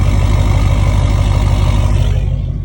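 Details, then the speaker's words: Duramax diesel pickup just after a morning cold start, idling: loud rough idle with deep chuffing pulses; exhaust leaking ahead of the tailpipe because the muffler clamp came loose and fell apart. "Because unfortunately, the muffler clamp came loose and fell apart."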